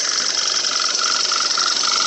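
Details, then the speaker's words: Audi B8 A4 at idle: even quick ticking about three clicks a second over a steady hiss, normal purge valve clicking that speeds up then stops, plus injector clicking. "there so next time you hear it put your finger on this thing and if it's clicking that's the purge valve it goes faster and faster then it stops see it's stopped now"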